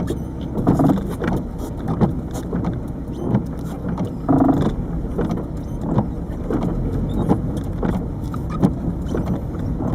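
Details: 1998 Peugeot 306 turbo diesel, over 160,000 miles: irregular heavy low clunks and rattles when pulling away with the clutch dumped in 1st, also under throttle in 2nd and 3rd; owner suspects the lower engine mount, not confirmed.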